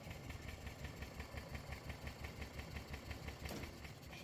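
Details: Gas-powered Club Car golf cart, battery connections cleaned: cranks over with steady rhythmic chuffing about three beats a second but never catches; crank no start.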